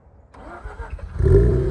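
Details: Mazda RX8 rotary after sitting 2.5 years, jump-boosted at 200 amps with no belts connected: short crank, catches in about a second, smooth even buzzing idle; starts cleanly.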